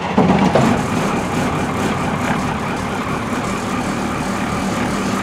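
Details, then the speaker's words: 1985 International school bus diesel, started from the driver's seat: short crank, then it catches at once and settles into a steady, even clatter; normal start. "that was boring wasn't it fired right up"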